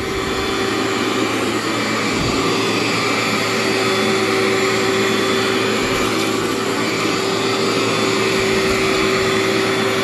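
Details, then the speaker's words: Cleartrak/Workhorse vacuum power brush after brush and belt replacement, run on floor setting: steady, even motor roar, clean constant tone, no rattle or slapping; digs in like new, normal running. "feels like a new machine just digs right in there"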